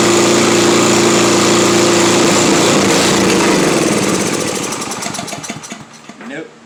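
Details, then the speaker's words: Simplicity 7524I snowblower, Briggs & Stratton 7.5 hp, fresh fuel: it fires on the primer, runs briefly and stalls, likely from fuel starvation caused by a clogged jet in the bottom of the carburettor. "it doesn't want to stay running it doesn't want to stay running"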